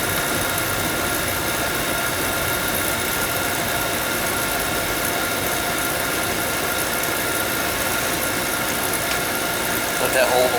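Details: Oil burner after no-heat callback, misaligned drawer assembly corrected so electrodes spark: lights and settles into a steady, even roar with no pulsing or sputter, firing normally.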